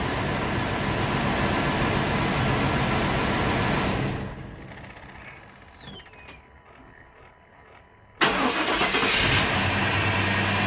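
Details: 1997 GMC Yukon 5.7 L V8: steady even idle, shut off, then a quick clean restart to smooth idle; starts and runs healthy.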